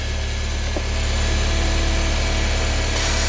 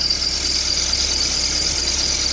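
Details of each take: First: Car engine warm-idling after the belt and pulleys were sprayed and blown clean, which helps only once warm: steady low hum, no squeal, brief spray hiss midway; normal idle. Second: Car engine at idle, after the belt tensioner was replaced but not the belt: steady high-pitched squeal because oil on the serpentine belt's inner ribs makes it slip.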